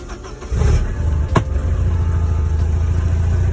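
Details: Porsche 944 at idle before replacement of the loud alternator (output about 12 V, dipping to 11, reaching 13); deep, heavy chugging like a train, though finding attributes it to a noisy AC compressor.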